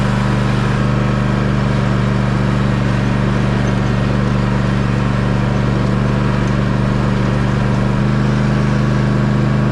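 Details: Toro TimeCutter zero-turn mower engine running just after an oil change with 5W-30 and a new filter: a loud, even drone at steady speed, firing smoothly with no misses, knocks or surging.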